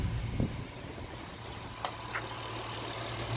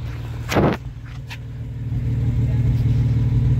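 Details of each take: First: Honda V6 petrol engine idling after replacing all spark plugs: low even hum with no popping or stumbling; the earlier misfire with misfire codes is gone. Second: Honda V6 idling, heard at the exhaust: uneven, lumpy idle with dull popping beat, misfire codes when driving; owner assumes fouled spark plugs, O2 sensors black, before plug change, which fixed it: engine misfire.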